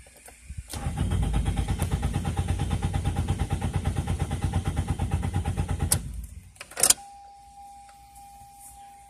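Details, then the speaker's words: 2002 Toyota Corolla LE, was running earlier; starter turns the engine evenly about three beats a second for five seconds but it never catches, crank no start. "that's not really starting at all wipers work though"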